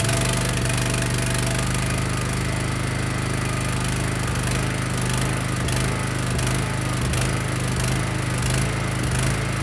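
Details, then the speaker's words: Honda GX390 engine on a 7000 W Powermate generator: a low drone that wavers instead of holding steady speed, surging despite a new plug and insulator gaskets; owner suspects a vacuum leak at the servo line and has ordered a new carb. "to make sure, and still surges."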